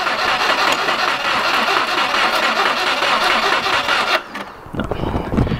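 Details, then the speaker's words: 2000 Subaru WRX GC8, sat untouched 11 years (barn find); engine cranks, catches and runs roughly about four seconds, apparently on fuel squirted down the throat, then dies. Owner unsure if tank has fuel or fuel pump works. "don't know if there's any fuel in the tank I don't know if the fuel pump's working I think it was only running off that fuel I was sticking down the throat"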